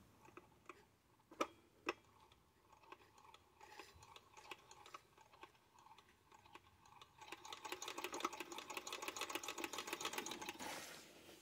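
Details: Ciné Kodak Model A 16mm movie camera, hand-cranked slowly with pressure plate removed to show the claw (normally cranked for 16 frames per second): slow light ticking building to an even soft whir, no binding or grinding; runs smoothly.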